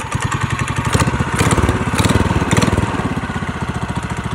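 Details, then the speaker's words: Go-kart engine, pull-started after the wrongly installed carburetor gaskets were fixed: quick, even put-put at about eight or nine beats a second, steady with no misses; normal running. "he's a dirty liar all right yank Town she's already purring all here"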